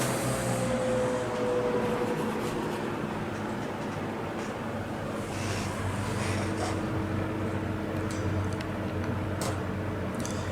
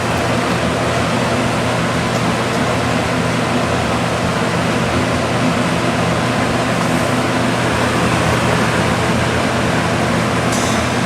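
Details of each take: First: Vintage Lasko box fan, model 4713, 1983–1984 date code, after motor repair, on low speed: steady airy rush with a constant, quite pronounced motor hum, more so than the owner's Sears version. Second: Vintage Lasko box fan, model 4713, 1983–1984 date code, after motor repair, running on high: steady even air rush over a low motor hum, no ticking, smooth with very little wobble; normal running.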